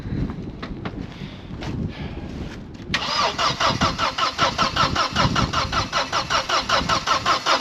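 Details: Vauxhall Cavalier GLS 2.0 16V Ecotec X20XEV, engine freed from seizure, immobiliser still active: steady rhythmic starter churn about two and a half compressions a second, never catches; cranks but won't fire, no spark.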